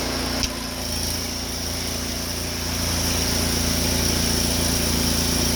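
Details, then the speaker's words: Honda GX690 pressure-washer engine with General Pump 8 GPM triplex plunger pump, test run after oil change: catches on a pull, settles to steady even hum with faint high pump whine; runs cleanly, normal running. "Back in business."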